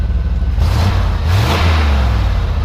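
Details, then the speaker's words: 1993 GMC Yukon V8 revved briefly in very cold weather: a clean rise and fall in engine speed with a smooth deep note and no knocks or stumbles. It sounds healthy. "know it sounds good it's really cold out here"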